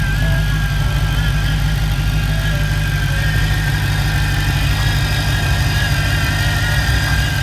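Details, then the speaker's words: Dodge Charger/Challenger Hellcat V8 at idle with bad supercharger bearings: a thin, steady, wavering whine riding above the engine rumble. "just a quick note about the hellcat one thing to look out for are the supercharger bearings going bad i mean it's you can hear it"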